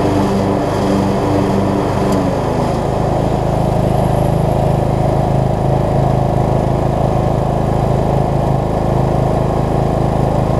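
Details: Craftsman LT3000 riding mower, single-cylinder, with a replacement deck and the blades spinning, settles after a brief lumpy start into a smooth, even drone. It stuck at the beginning and needs mow cycles to free up; the brakes may need adjusting. Normal running with blades engaged.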